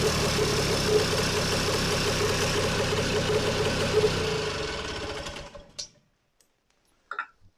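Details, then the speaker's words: Vintage two-stroke snowmobile after a cleanup and reassembly: quick, buzzy beat holds even about five seconds before winding down and stopping; fires and runs on its own, ready to go. "Well, there. I can put the hood back together, and this one's ready to go."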